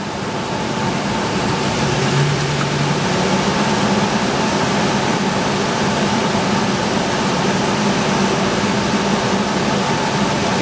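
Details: IAC valve test using a bi-directional scan tool: steady, even hum at a slightly raised idle with no hunting, misses or stumbles; idle control responding normally; normal raised idle.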